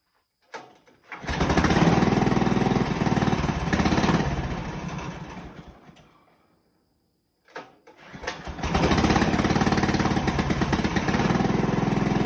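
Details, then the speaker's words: Honda engine in a Farmall M build, first start after welding up the exhaust, before braces and muffler: fires up, steady even chug, shut off, restarts and settles smoothly; normal running. "So now I think what we'll do is fire it up, make sure it runs okay like that, and then we'll move on to braces and the muffler."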